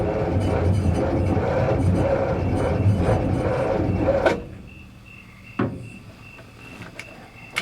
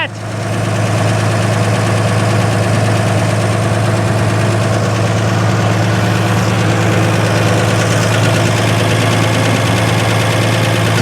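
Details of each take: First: 1955 GMC with 350 Hydra-Matic, abandoned 30+ years, on its first start attempt. Sluggish, labouring crank at about three turns a second for four seconds, never catching. Battery running low. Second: 1955 GMC 350 truck with six-cylinder and Hydra-Matic, first run after 30+ years sitting, started with starting fluid, gas pedal not working: smooth steady low idle, even beat, no misses or knocks; runs healthy.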